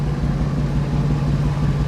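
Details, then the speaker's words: 2001 Ford F250 5.4 V8 plow truck: rough, uneven idle with lumpy beat and popping from a cylinder 5 misfire (code P0305); spark plug already replaced, ignition coil being swapped next. "I've got this 2001 F250 5.4 that has a pretty bad miss. You could hear it. She's not running very happy."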